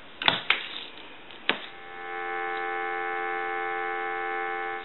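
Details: Western Electric 202 rotary desk telephone on test analyzer: a couple of handling clicks, then a steady, clean two-note dial tone held evenly about three seconds; line working normally.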